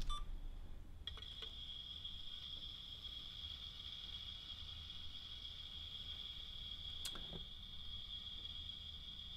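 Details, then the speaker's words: New DJI Osmo Pro with X5 camera, bottom gimbal motor: steady high-pitched whine held constant, heard before the fan kicks in; goes quiet when slight resistance is applied to the motor; owner unsure if normal or a fault. "and the thing is if I put a little bit of resistance on this motor it actually goes quiet"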